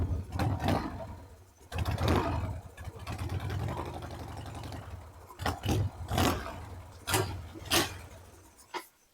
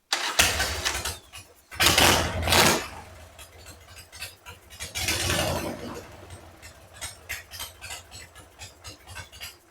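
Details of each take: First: 2002 Harley-Davidson Sportster 1200 with an air/fuel mixture screw problem: the engine catches in uneven bursts, surges and stumbles, then fades out, unable to hold an idle, before the idle screw is adjusted. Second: 2002 Harley-Davidson Sportster 1200 after air/fuel mixture screw replacement, screw set about two turns out: after bursts of starting and revving, an uneven, loping V-twin idle keeps running, now idling normally.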